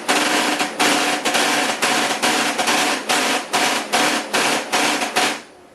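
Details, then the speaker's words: HP LaserJet 4015n printer with a fuser error, viewed from the rear: loud, harsh rattling bursts about twice a second. The fuser gears show no wear, but the gear skips when meshing. "ya escucharon como rumba bueno los engranes están muy bien no tienen desgaste vamos a checar por qué hace eso"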